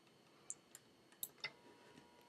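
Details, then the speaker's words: USB floppy drive on a Macintosh running OS 8.6/9.2, copying a Pac-Man game file to a floppy: a few quiet, irregular head-step clicks, then a faint steady whir; normal disk writing. "guys can hear the noise my hope of this driver kicking in to copy in and stop"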